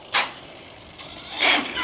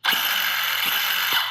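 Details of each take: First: Used ARRMA Big Rock 6S RC truck on 3S batteries: two sharp cracking bursts only on harder throttle pulls, quiet running between; gear teeth skipping from a flexing front end. Gear grinding under load. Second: Used ARRMA Big Rock 6S RC truck after the front end was torn down and reassembled to cure a noise: a smooth, steady high whirr from the spinning gears with a few light clicks and no grinding or rattle; normal drivetrain running, problem solved.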